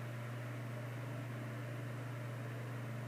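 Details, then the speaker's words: 1950s Canadian Robbins & Myers 12-inch oscillating fan, as found before restoration, first test run on high of two speeds: smooth constant low hum with steady airflow, no rattle or wobble, though not very fast for high; runs normally. "no that's smooth spins like a top so it's not going super fast considering it's a high speed"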